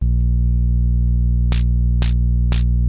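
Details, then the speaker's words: DIY Twin-T drummer synth, snare/noise mix output: loud steady 60 Hz mains hum under triggers with hiss bursts; noise outputs alone fine, Q1–Q3, caps, diodes, resistors, 4011 replaced, TL78L05 regulator not yet swapped; cause unknown. "but yet it'll still trigger but there's that hum there's a really loud hum now"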